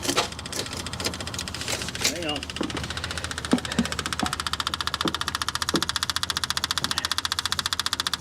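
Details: 1979 GMC Caballero cranking after fuel was possibly dumping down the intake, owner fearing hydrolock: several loose knocks, then even cranking at about three turns a second with no catch; smoke follows; spark plugs were later removed to clear it.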